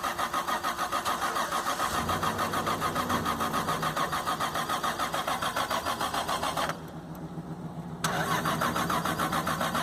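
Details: Single-turbo Toyota Supra with swapped engine, no original ECM, no MAF or O2 sensors, first start after almost 10 years sitting: starter churns steadily about 3.5 pulses a second with a brief pause, never catches; no fuel smell, old fuel suspected.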